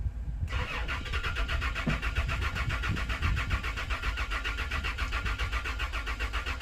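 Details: Toyota Land Cruiser crank no start during fuel pump electrical testing: the starter spins the engine in a steady rhythmic churn without it ever catching; cause not confirmed.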